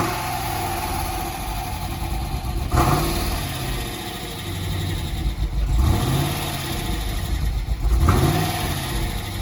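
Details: Dodge Challenger SRT8 V8 running after a new fuel pump relay was fitted, rumbling idle with three quick throttle blips, clean with no knock or misfire; drive belt shattered and due for replacement.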